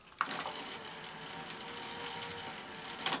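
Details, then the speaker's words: Sanyo VTC-MH5 Japanese NTSC Beta Hi-fi VCR after power supply repair, lacing a tape: soft even whirring with light clicks at start and finish; motors now at sensible speed, normal lacing. "yes much better yes those motors are running at a much more sensible speed aren't they"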